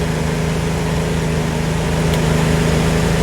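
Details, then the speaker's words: Nissan B14 after a non-firing injector and rough idle were fixed: smooth even idle, steady low hum, no stumbles or skips; no more misfire. "Notice no more misfire. Good to go."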